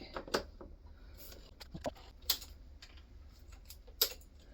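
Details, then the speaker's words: BMW F650GS Dakar during a restoration first start, with a freshly connected battery. Sharp irregular clicks with no cranking, persisting after cleaning the battery terminals and jump leads. "kay, so we've got a lot of clicking and a lot of faffing. Okay, something's not quite happy here, so let's go back to the beginning."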